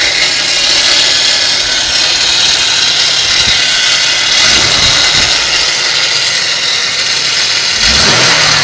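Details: 1992 Ford Taurus with the Vulcan engine at idle: harsh, hissy grinding with constant clattering that is still there with the alternator and serpentine belt removed; the noise seems to come from the right side within the engine block. Source unknown.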